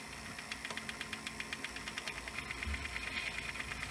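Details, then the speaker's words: Sanyo VHR-H519 VHS VCR rewinding an EP tape at its end: a fast, regular ticking rattle about six per second over a hissy whir, source unknown; the tape is not being chewed. "not sure what that sound is coming from the tape what's making that rattly sound I have no idea what that was but it's not chewing the tape at all which is very good"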